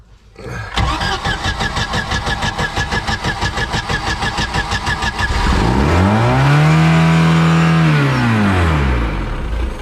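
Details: Mercruiser 3.0 boat engine on earmuffs water supply after J-B Weld repair of a block crack behind the exhaust manifold; cranks at about three beats a second, catches, revs smoothly and settles to an even idle; normal start-up.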